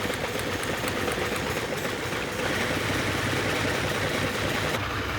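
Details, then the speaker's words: Sixth production Lamborghini, restored classic being prepared for a concours: idle stumbles and chuffs unevenly, revs rising slightly, then steadies and improves; rough idle misfire. "You can hear the engine notice slightly rising there. It's thinking about it, but it's uh it's not happy."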